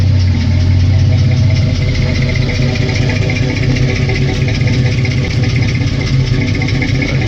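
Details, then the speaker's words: 1964 GMC carbureted V8 at idle, fuel pressure about 1.5 psi, carb still tuned rich for winter: low, lumpy idle with an uneven beat as one bank drops a cylinder now and then. Slight misfire; owner suspects worn spark plugs. "it misfiring a little bit on this bank anyway. It is due for a set of spark plugs, I think."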